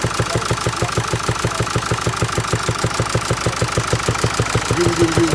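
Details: 2016 Mercedes E-Class with 654 diesel engine, idling with a steady sharp knock repeating a few times a second.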